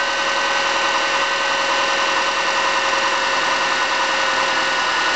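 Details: 2005 Subaru Forester (MY05) EJ25 naturally aspirated flat-four, about two years old, at idle: faint, uneven light knock over the hum; owner suspects piston slap, not confirmed.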